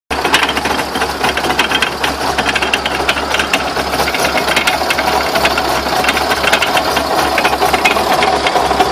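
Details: Dense, rapid knocking and rattling over road rumble, steady throughout, while driving. Owner asks what the knocks are and whether the drive shafts could be bent. Cause suspected, not confirmed.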